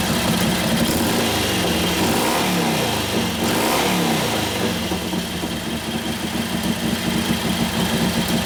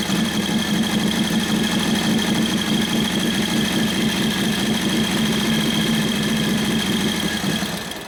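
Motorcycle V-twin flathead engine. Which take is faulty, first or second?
second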